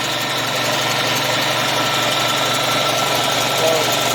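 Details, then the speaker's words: Air compressor (about 7.4 cfm at 90 psi) after repair of a seized head, filmed weeks after break-in: even pumping chatter with a steady hiss, no jamming or knocking. With oil it seals better and builds pressure quicker than before it seized. "i think that the air pressure with the oil on there now is sealing up better and it's uh you know i just thought it was starting to have more issues getting more out and uh there's obviously built up pressure a little quicker than it had before it seized up with that being jammed up"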